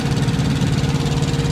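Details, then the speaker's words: APU on a 2014 Kenworth T660 truck, main engine off, running for cab heating and cooling: steady, even low diesel chug with quick regular beat, no knocks or misses; auxiliary unit running normally. "uh that's my Apu that regulates the temperature for the truck hot and cold so I don't have to idle the truck so that noise you're hearing right now is the used truck is actually off"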